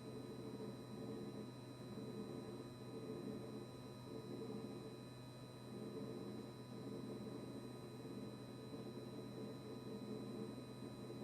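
A steady low hum with a fixed buzzing tone runs on without cycling or change. The fridge compressor buzzes constantly, cause not yet known.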